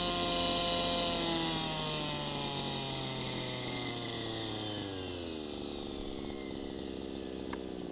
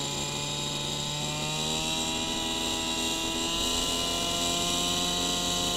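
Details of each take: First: Small two-stroke gas engine idling with low-speed needle too rich: burbly, uneven, consistent four-stroking beat, sagging speed, exhaust smoke. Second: Small two-stroke idling with a steady, even buzz rising slightly in pitch after the low-speed mixture screw is turned back in to 1 1/8 turns: less four-stroking and less exhaust smoke, a smooth idle with the correct mixture.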